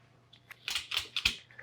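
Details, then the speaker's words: Petzl NEOX belay device taking up rope slack under tension, with sharp, bright clicks in uneven bursts as the wheel's lugs rub against the blocking stops: normal wheel clicking, not a malfunction. "That's a normal noise. So what's happening, I'll put the graphic up. What this is doing, there's a rotating wheel that has these little lugs in it. As it's under tension and you're taking up more slack, those will kind of clack. So it's a noise that's fine. It's not a malfunction on the device at all."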